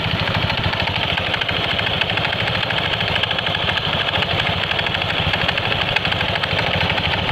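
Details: Honda Scoopy scooter idling with a fast, regular clatter of light knocks from the CVT, owner's klotok-klotok complaint; with the cover off, the knock is judged to come from the front pulley side rather than the rear.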